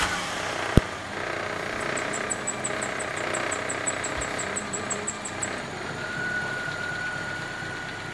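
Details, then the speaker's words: 1994 Toyota Corolla XLi 1.6 at 228,448 km after timing and accessory belts, gaskets, plugs, fluids and service: quiet, even engine note with no knocks or ticks; normal running. "Aracımızın sesi bu şekilde gayet güzel aracımızda işlemlerimiz tamamlanmıştır"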